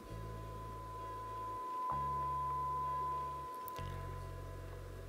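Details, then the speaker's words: Arcam AVR-280 receiver, center channel after repair, fed a signal generator tone via the multichannel analog input: clean steady mid-pitch tone with no buzz or crackle; working properly. "it is working and it's not making any noise."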